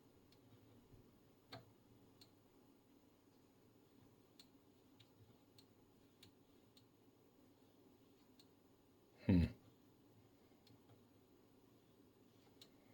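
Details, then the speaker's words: 1980 Schlumberger 4910B SSB analyzer powered on, drawing about 32 watts, in telegraph relay test mode: faint sparse relay clicks about every second over quiet hum, one louder clack; normal relay switching while sampling. "And we can hear the relays because it's sampling. So now it is in a telegraph system."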